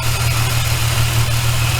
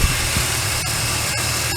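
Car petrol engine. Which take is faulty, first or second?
first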